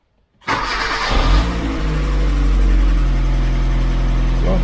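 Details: 2007 Kia Cerato no-start from a faulty immobilizer unit, after replacing the unit and starting with the new key. Quick crank catches right away and settles into a smooth, steady low idle with no misses; now starts and runs normally.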